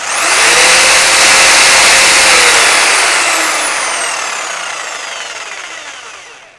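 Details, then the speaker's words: Milwaukee FSPE-110-QX jigsaw after the damaged gear wheel was replaced. High, even motor whine with no clacking or clunk, then a smooth spin-down at switch-off; sounds as it did before the gear broke. Normal running. "that seems to be back pretty much as I remember it before the gear got damaged."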